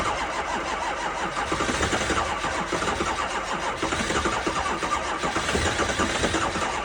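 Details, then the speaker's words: 2005 Ford 6.0 diesel cold start at 15°F in New York, on two batteries and a jump pack: starter churns with a steady rhythmic rise and fall throughout, engine almost catches but never starts. Cranks but no start. "They don't always start. That's 2 batteries and a jump pack. It almost went. We're close."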